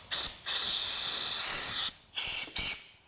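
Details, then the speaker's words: 2006 Toyota Hilux 2.5 L D4D diesel, crank no start with no codes: air blown back up the fuel feed line rushes straight back out in loud hissing blasts, confirming a serious blockage in the fuel tank feed. "That is just blowing all the way back. That is not allowing me at all. I thought it would at least allow me to. All the air is just coming straight back. We have a serious blockage."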